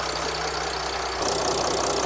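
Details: Jeep Grand Cherokee 3.0 CRD (Mercedes OM642 diesel), started warm right after an oil and filter change: steady, even diesel clatter at idle with a slight lift, no knocks or misses. Oil pressure light went out quickly; normal idle.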